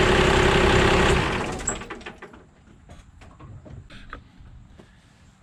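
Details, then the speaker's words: 1997 Dodge 2500 12-valve diesel cold start after cleaning battery terminals: brief crank, catches right away and settles to a steady clatter; quick, healthy start, as it always started before the recent no-start problems. "so that's how well it starts that's the way it started when i first got it and it's been running like that ever since"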